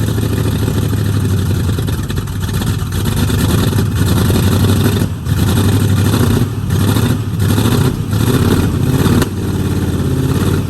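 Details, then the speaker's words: 1969 Mustang V8 that sat 15 years, just after a new solenoid and voltage regulator. Rough, lumpy idle with dips and pops: a definite misfire. Owner suspects timing is slightly off, causing spit-back, and thinks new plugs and plug wires may fix it. "I think timing may be off a little bit the reason you're spitting back but it still has a definite Miss we'll get it figured out"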